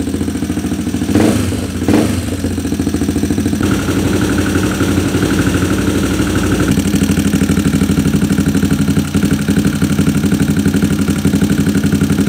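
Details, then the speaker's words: Engine with racing camshaft, carburetor ruled out; lumpy, uneven loping idle that won't settle, due to large cam overlap, worse with tight valve clearance; larger valve clearance being tuned to improve idle. "so Ayun nga ah Sabi na nga ba Hindi karburador eh bale camshop talaga no ah malaking overlap Mahirap mag ano mag idle saka kapagka manipis yung valve clearance mahirap siya mag mag idle"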